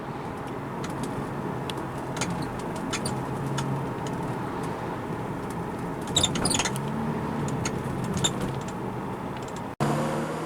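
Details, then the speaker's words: 2007 BMW 335i hardtop convertible roof opening or closing before the rubber seals were lubricated: scattered sharp creaks and squeaks over a low motor hum; dry rubber seals rubbing, fixed by applying Gummi Pflege. "my roof recently started creaking so this is what it sounded like before I lived the rubber today"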